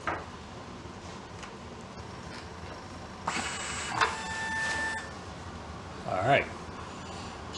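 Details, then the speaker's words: IBM 4400 thermal label printer after repairing bad ribbon rewind motor: short smooth whirring bursts as the ribbon shuttles back and forth, no grinding or chatter; ribbon now rewinds properly. "to be happy take that offline this time the ribbon went back and forth the proper way"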